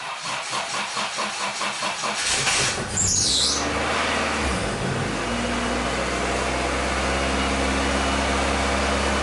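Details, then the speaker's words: Acura Integra, with a coolant leak, owner suspects a dirty or clogged idle air control valve: engine catches after a few seconds of cranking and holds a steady fast idle around 2500 rpm that never drops; high idle, cause unconfirmed. "as you can hear is revving up high but look coolant leak somewhere Reverend about 25 honey so yeah that's my issue right now"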